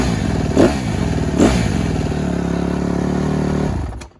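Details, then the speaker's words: 2013 Honda CRF150RB, Keihin FCR carburettor, after accelerator pump O-ring mod without re-jetting, gasket missing and leaking: two sharp throttle blips pick up cleanly with no low-end bog, brief lumpy idle, then dies. "died automatically I may have some clips of the bike before but this accelerator pop mod definitely worked"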